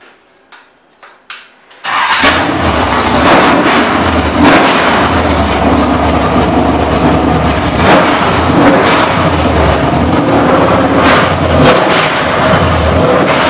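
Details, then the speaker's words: Chevrolet ZZ6 / CT400 crate V8 (forged crank, aluminum heads, roller cam, aftermarket intake, well over 400 hp) on engine test stand: few clicks, fires cleanly and settles to steady even low idle well under 1000 rpm; healthy. "as you notice I look like a pussycat de lisle nicely well under a thousand rpm and make awesome horsepower well over 400 horsepower beautiful street motor"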